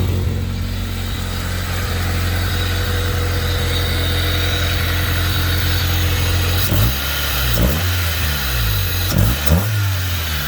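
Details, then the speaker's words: 1991 Honda Civic, junkyard engine, with fuel cut-out, code 43 and an exhaust broken off at the weld: lumpy, uneven idle with irregular stumbles in the exhaust beat and a few blips. Sounds like a misfire; cause unconfirmed. "i heard the exhaust break off the weld a minute ago there's definitely some kind of"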